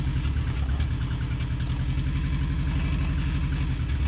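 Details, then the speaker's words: 1999 Toyota Camry LE with rod knock, piston rewelded, check-engine light showing misfire: cold start at seven degrees running on three cylinders, lumpy uneven idle stumbling every few beats; misfire. "all right cold start on three cylinders seven degrees out"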